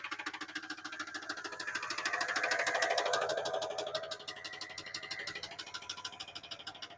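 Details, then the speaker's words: Truck engine revved high after fuel system work before smog; loud, sharp, evenly spaced knocks about three per second, swelling with revs; owner thinks he blew a rod, heavy bottom-end knock. "Oh my gosh. I think I just blew a rod."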